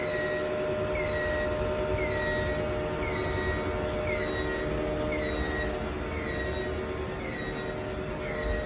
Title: 20250728_Abnormal Sound from Sputter System